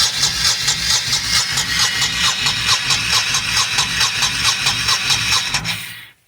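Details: Abandoned 1998 Honda Shadow VT1100 after draining the carb bowls and pumping fresh gas to the carbs: steady starter whirr with even compression pulses, about two a second, and no firing; choke operation uncertain.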